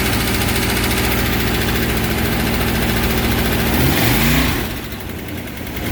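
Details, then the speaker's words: 403 Oldsmobile V8 in a vintage Baja jet boat at first start after a bottom-end rebuild with new crank and bearings, choke set. Even, loping burble with a brief dip in level and no knocks or misses. 70 psi oil pressure, no water in oil. Normal idle. "Well, hopefully you can hear me, but she's running. Everything's good."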